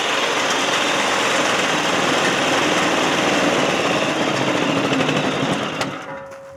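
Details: 1992 lawnmower 5HP Briggs & Stratton single-cylinder engine on a DR Power Wagon utility cart, after a fuel leak repair. It runs steady and even at moderate speed, then fades as the cart drives off; sounds healthy.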